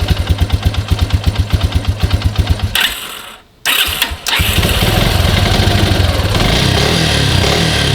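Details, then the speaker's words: Grizzly 125 quad unrun over six months, possibly low oil, running on car oil: few seconds of even cranking, fires and settles into steady smooth run; runs well despite a couple little issues. "well guys thing runs pretty good may have low oil a couple little issues but it runs great"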